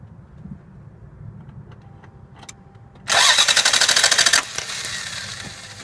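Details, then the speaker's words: 1990 Lexus ES250 V6 that stalled while driving; about a second of fast, high-pitched cranking with no firing, because the main coil wire routed over the exhaust manifold is grounded, so no spark reaches the plugs. "all right so there you see it we got a main coil wire that feeds all the rest of the spark plugs and the distributor feeds the distributor um you can see that that's clearly grounded that's a primary uh grounded circuit right there"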